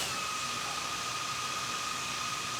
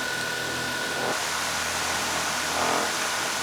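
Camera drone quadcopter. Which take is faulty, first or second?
second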